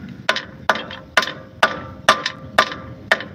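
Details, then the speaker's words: Mitsubishi Pajero front end struck with a rubber mallet: seven hollow metal taps about two a second, each followed by a brief loose clatter from a stone inside the crossmember, the cause of an intermittent rattle. "I checked everything I couldn't find the problem and eventually it was this the stone in here once you take all these Stones Out it should be okay"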